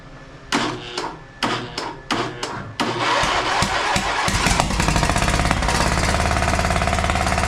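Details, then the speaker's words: John Deere LA130 small twin tractor engine, battery charged, cranking with sharp pops then rough, uneven running and backfire through the carburetor; suspected overheated, damaged head blowing combustion past the intake valve, compression test planned, not confirmed. "boy that's just all kinds of not good right there I believe that he has run this thing hot and damaged one of the heads maybe maybe I don't know what he could have done but it's blowing combustion right back out past the intake valve"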